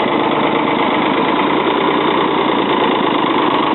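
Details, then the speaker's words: 1977 Ford 555 backhoe diesel, first start in over 2 years on old diesel, after starting fluid and touching loose wire to contact: steady even low-speed clatter, no misses or knocks, held at low idle warming up; runs normally. "All right, up a little bit. She's a runner."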